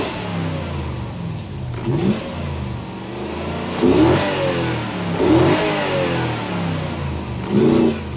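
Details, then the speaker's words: 2013 Toyota Hilux with 3UZ V8 swap, revs blipped about every two seconds: engine picks up raggedly and falters as fuel pump voltage (via resistor, should jump to 13 V) intermittently drops to zero; suspected wiring or earth fault in fuel pump circuit. "see intermittently it drops to zero volts and the engine doesn't run very well"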